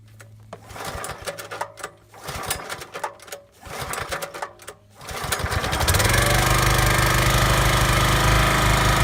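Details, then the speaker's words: Small Chinese engine on a Kellfri ATV backhoe, quick test run with a damaged head gasket: a few seconds of rattling pulls, then it catches and runs loud and rough; blown head gasket leaking. "as you can see the head gasket mmm I need a new one so it will just be a quick test run to see that nothing else is damaged"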